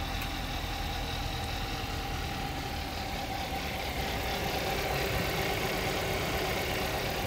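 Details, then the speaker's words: Kia at police auction, broken-in lock, started on jump using pliers; soft even idle hum, very quiet, no knocks or misses, normal idle. "engine is very very quiet looking pretty good on this one"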